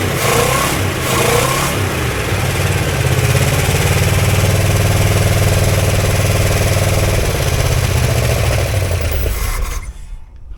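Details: 1965 Barracuda 273 V8, first start with gas poured down the carburetor: fires and keeps running with a steady low throb and a few rev blips, then shuts off; normal running.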